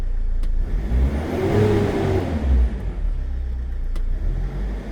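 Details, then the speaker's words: Mercedes Sprinter diesel running smooth and even with no whine. This is after the alternator bearings, brush pack and clutch pulley were replaced; before, the worn bearings and pulley made it whiny. "So, you would have seen the before when it was a bit whiny with the bearings and the clutch pulley. And now you'll hear it that everything has been replaced."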